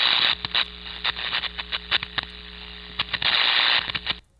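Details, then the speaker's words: Ultrasound recording of electrical arcing: harsh, intense crackling discharges firing irregularly, several a second, separated by totally silent gaps; non-uniform timing distinguishes arcing from corona. "now if i was to characterize that based on what i heard what would i say well i've got these really intense discharges that are taking place but then there's times where it's totally silent right"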